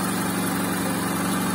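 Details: VAZ 2110 8-valve injector that stalled at idle and wouldn't start in frost without gas pedal due to stuck extended idle air control valve; after replacing it, steady even smooth low hum, no hunting or stumbling; normal idle.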